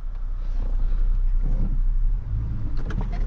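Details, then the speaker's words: 2002 Toyota Tundra after replacing the front differential (ADD) actuator, no diff fluid yet, driving slowly on the street: low rumble then a clunk and click as the front axle locks into 4WD; light stops flashing, normal engagement. "bam click that's how you know it's working that's how you know your four-wheel drive is working the front discs are locked"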